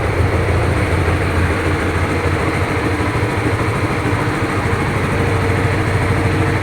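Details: Honda Supra GTR 150, fuel-injected, nearly 2 years of use: a smooth, low, even putter at steady idle with no ticking, rattling or hunting. The owner says it still sounds like new; healthy engine.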